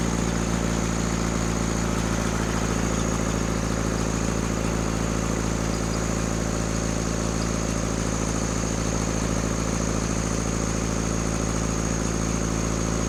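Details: Rebuilt Cummins diesel in a Case 1840 skid steer at raised rpm, throttle held open. The drone has a slightly uneven thump about three times a second: a misfire. In the balance test, loosening cylinders 1 and 2 changed little but reduced smoke; the fault is narrowed to those cylinders, with injectors to be pulled.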